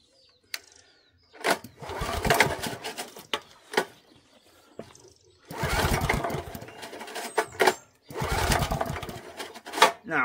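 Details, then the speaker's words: Old 8 horsepower Honda engine from auction, ran previous day on brake cleaner, pull-started on petrol with choke on, full throttle: three rough bursts of rope-pull cranking with gaps, no catch; no-start when cranking, carburetor problem suspected. "she ain't going to go guys I think we have a lot more of a carburetor problem in here cuz we know this thing ran yesterday on brake clean didn't we"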